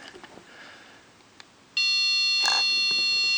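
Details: Quiet room, then a sudden steady high beep tone: Pixhack 2.8.4 flight controller arming sequence after pressing the safety button, in a Turnigy HAL quadcopter build whose motors only spin at arm speed even at full throttle.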